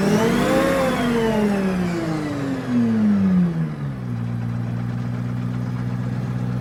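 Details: FV432 APC K60 diesel: revs drop away smoothly into a steady, even idle with no misfire or stumble; normal idle.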